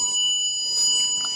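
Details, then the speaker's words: 2001 Ford F-350 7.3 Power Stroke diesel, federal emissions, ignition on: tester gives steady high-pitched beep without a break as probe sees 12 volts on relay output; glow plug relay passing power, working 100%. "pass in energy and that this really is working 100%"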